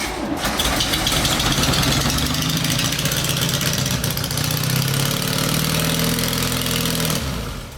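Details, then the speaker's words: 1973 VW Bus (Westfalia) after 23 years stored, fuel poured into carburetor for first start: engine catches, runs rough and uneven about seven seconds, then cuts out abruptly as it runs out of fuel. "And you're out of gas."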